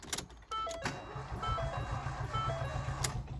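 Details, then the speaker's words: Crash-damaged salvage Ford Fiesta Mk7 1.0 EcoBoost, non-runner, cranking with MAF sensor unplugged: starter cranks at a steady quick rhythm under dash chimes but never catches; MAF ruled out, timing or low compression suspected. "nope still dead okay so i don't think the culprit is a faulty maf sensor so that leaves us left with two options and that's either the timings out or that we've got low compression"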